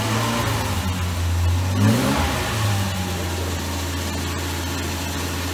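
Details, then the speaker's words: Series 1 Jaguar E-Type, first start after 30 years following restoration: brief rev and momentary stumble on startup, then drops back to a smooth, even idle with no knocking or misfire; normal. "I mean when this started almost like it thought it died it turns out as it went back to idle"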